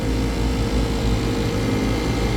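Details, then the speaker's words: Failed three-phase AC compressor at 60 hertz, calling for cooling, after running with dirty filters and signs of flooding back: heavy, rough churning low drone with no clean note, drawing 58 amps; compressor dead. "Give it a second. Oh yeah, this guy's dead. Compressor sounds like dirt."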